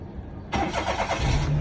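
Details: Perodua Kelisa after a wiring problem repair. Starter cranks briefly, then it catches and settles into a low, steady idle with no misses or knocks; normal.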